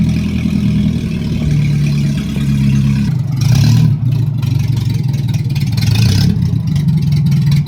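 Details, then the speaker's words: Nissan 1400 cold start after new exhaust and fuel tank work: loud, raw low rumble and blatting; exhaust snapped off right under the new manifold flange. "So you see, this is my issue. The exhaust actually ended up snapping off right underneath the branch bar of the new flange."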